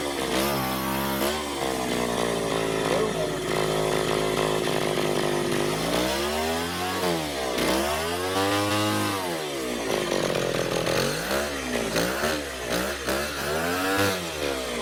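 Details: Echo PB-202 backpack blower, almost 40 years old: buzzy two-stroke note rising and falling cleanly with each throttle blip on half choke, no bogging or sputter; normal running.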